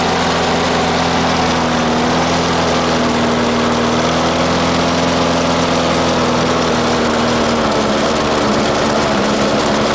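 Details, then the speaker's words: 1996 Murray 20-inch mower, Briggs & Stratton 4 HP single-cylinder, cold start at 3 °C after 10 months sitting: wavering, uneven, hunting drone; running lean, not getting enough fuel; owner fitted a different spring to raise idle, may need spring adjustment. "uh you might have to adjust the the spring right here uh because this one is not getting enough fuel"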